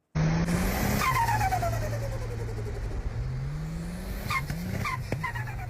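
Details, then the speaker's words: Turbocharged car: engine revs, throttle snaps shut and turbo whistle falls away with a quick vent as extra boost pressure is released through the blow-off valve; normal blow-off valve release. "මේක තමයි ඔයා ත්‍රෝටල් එක release කරනකොට turbo එකේ ඇති වුණ extra pressure එක blow of වැල්ව් එක හරහා රිලීස් කරන සද්දේ."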